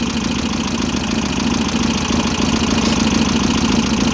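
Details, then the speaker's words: VW Type-3 Fastback air-cooled flat-four, just reinstalled after tightening loose cylinder heads, on a loose idle. A light, fairly even ticking of about three a second sits above the engine note; the self-done valve job left the lash out of adjustment. "I do know that the valves are maladjusted, and I don't know why,"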